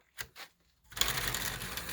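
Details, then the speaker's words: 3D-printed large maglev rotor with solenoid motor on JL94 circuit: fast even clatter of light clicks as it spins up, from play between plastic rollers, plus wobble from inserts instead of bearings. "there's a little bit of play yeah there's a little bit of slop in there which is why it makes all that noise"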